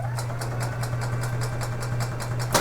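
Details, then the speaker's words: 2011 EZGO TXT gas golf cart, crank-no-start with suspected weak battery, after charging battery about an hour: brisk, even cranking about five compressions a second over a steady hum, no firing; normal cranking speed. "that sounds better so now we can take the charger off turn that off disconnect it"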